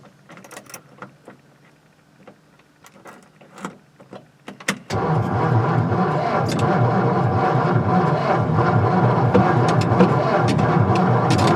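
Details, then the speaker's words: 1955 Ford Fairlane Victoria, off the road since 1992, new fuel pump, 12 V battery spinning the starter fast: the engine turns over evenly but never fires; it later started with starting fluid. "she acts like she wants to go but she doesn't"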